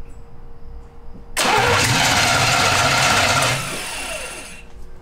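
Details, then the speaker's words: Abandoned 1971 Jaguar XJ6 with small block Chevy V8, sat 5+ years, new fuel cell, plugs and wires: starter cranks steadily then winds down without catching; dirty carburetor, fuel line looks dry; crank no start. "just went ahead and pulled this fuel line off here and it's like falling apart as we do it but that looks dry to me so uh i might crank it a little bit and see if it'll even push fuel past there"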